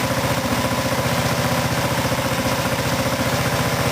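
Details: Craftsman riding mower after fuel tank replacement: even, steady single-cylinder putter at about 220 beats a minute with no stumbles or misses, idling cleanly and healthily; no leaks noted.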